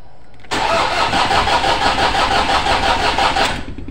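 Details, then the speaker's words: Toyota Innova 2KD diesel cranking: steady starter chug, about three beats a second, that never catches; fuel rail pressure stays at 350 kPa against a target near 30,000 kPa. Crank no-start from low rail pressure. "presessurnya sama sekali tidak eh naik ya teman-teman hanya di 350 kPa seharus nya dia itu e r30.000 baru bisa hidup jadi ini pressurnya yang enggak mau naik ya teman-teman"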